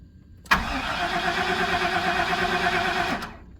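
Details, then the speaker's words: 1997 GM truck 5.7, 427,000 km, cold crank no-start: starter cranks steadily about three seconds with uneven chug, never fires; fuel pressure leaking down, pump check valve leaking cold, plugged filter and missing grounds; needs new fuel pump. "I hear the pump running in the tank now look at the pressure leaking down so that check valve in there is leaking when it's cold so this thing needs a new fuel"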